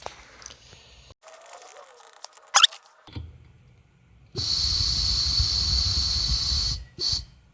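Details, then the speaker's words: MBK 51 CF replica, stock crankcase, Gilardoni 70cc, would not start. Pressure test gives about two seconds of loud steady air hiss escaping past a crankcase seal or flange opening. Air leak found there; fix is a small O-ring. "quel idiot évidemment ça sort par là donc un petit joint torique"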